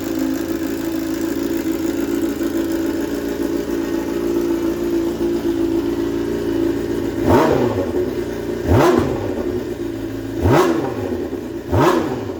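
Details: 2007 Honda CBR600RR not run for about five years, in neutral: steady even idle, then four quick throttle blips that rise and drop back cleanly; engine runs and revs normally.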